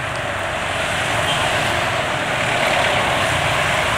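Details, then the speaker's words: Yamaha NMAX scooter at 61,000 km, recorded while riding: steady even engine drone with road and wind hiss, no knocks or rattles; owner judges the engine fine despite netizens calling it rough. "Motor penulis dari sisi mesin ya kalau menurut penulis oke ya."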